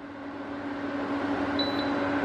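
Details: Sevilla SV-212II double induction cooktop after repair, about 2000 W per side at top level: steady fan whoosh with a constant mid-pitched coil hum, no rattles or cutting out; running normally.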